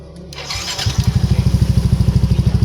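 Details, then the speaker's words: Yamaha NMAX scooter, ignition switch fault found: short crank, then catches and settles into an even steady putter; normal start. "Oke teman-teman, jadi untuk motor udah hidup. Jadi masalahnya ada di bagian kunci kontak ya."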